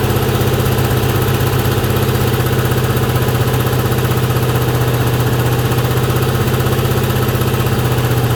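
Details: 2003 Ford 4.6 2V V8 at startup/idle: quick even clacking tick about four per second over the low rumble; source not identified.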